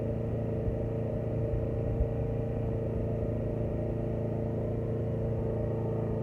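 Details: 2006 Briggs & Stratton XC 35 mower that wouldn't start, after fixing a loose brake/kill-switch cable that kept the kill switch closed: small single runs at a steady, even hum, no misses or surging, constant speed; normal running.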